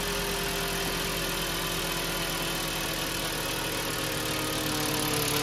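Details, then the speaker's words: 2007 VW New Beetle 2.5 cold start after replacing the PCV diaphragm (Dorman 617 064), which had caused a loud whistle and loping idle. It settles from a high idle into a steady, even idle with no whistle or hunting. Fixed. "so this is a cold start it starts off in a bit of a high idle and then it'll come down to a regular idle"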